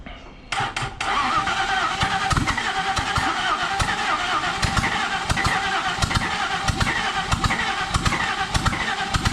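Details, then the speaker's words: Ford 302 Cleveland V8 donor engine, partially stripped and rat-infested for 20 years, fuel poured down the carburetor with choke: steady cranking with strong puffs as cylinders nearly catch but never runs; cranks but won't start, ignition timing suspected slightly off. "i'm wondering if we've got timing just slightly off"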